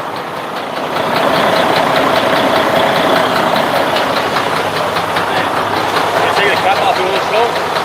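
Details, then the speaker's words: 2015 diesel day cab truck engine with manual transmission, no fault codes found: loud diesel running with an irregular knock underneath, about two or three a second, heard on start-up; engine knocking noise, cause unknown. "what happened is then when you start the engine makes a sound"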